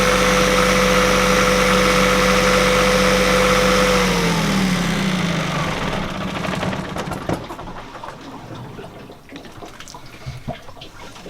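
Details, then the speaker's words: Northern Lights 12 kW diesel generator after cylinder head replacement and fuel bleed, heard from a deck above: smooth, even idle drone with no knocks, then winds down; quieter and smoother than before, possibly new injectors or a fixed leaking valve seat. "you hear the generator running down below i think you're right jennifer it is a little quieter than it was before it sounds a lot smoother to me"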